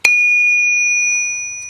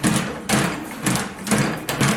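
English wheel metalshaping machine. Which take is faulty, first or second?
second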